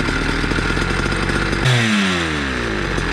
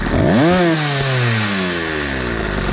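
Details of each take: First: Motorized bicycle two-stroke with a cheap chainsaw pumper carb being tuned: revs climb then sag into blubbery sputtering burble twice, dropping and recovering; rich four-stroking, may stall. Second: Small two-stroke motorized bicycle with chainsaw-style pumper carb after tuning: revs up sharply then falls away cleanly, pitch sliding down evenly without stumbling; carb now set and running smoothly.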